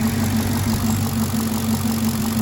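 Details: 2016 Caprice V8 (6,081 engine hours), which ran rough with a StabiliTrak fault and codes P0208/P0300, idling after repair: smooth, even idle with a steady low hum and no stumble or misfire; fixed, normal idle.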